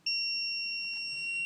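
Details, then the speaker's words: Samsung PN43D450A2D TV (powers, relay clicks, won't turn on): continuity meter on X board transistor, tab to leg, gives a sharp steady high beep, a direct short both sides; six surface-mount transistors found bad. "You hear the beep. That means it's a direct short on both sides."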